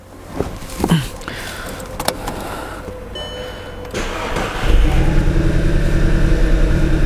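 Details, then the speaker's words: Stage 1 remapped Audi TT with ignition fault, first start after new spark plugs: uneven low chug with a stumbling boom-boom pulse, still running on three cylinders, poor revving when accelerated; engine misfire persists. "On s'aperçoit que la voiture tourne toujours sur 3 cylindres d'accélère. On entend. La montée en régime n'est pas terrible."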